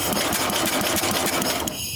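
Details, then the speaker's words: 1966 Simplicity Sovereign lawn tractor, Briggs points-ignition engine turned over on the electric starter: fast even mechanical ticking with no firing; contact points move but don't fully close, so there's no spark. "Yep. See, now it's moving but not fully closing. Keep going."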